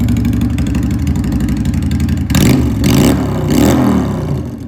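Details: 2001 Honda Shadow VT750 V-twin riding: uneven, lumpy note that surges and stumbles as throttle opens, stuttering and running rich under load, rear cylinder shot a flame from the exhaust.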